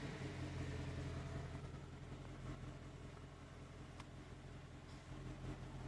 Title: 2021 Mustang GT AC ticking sound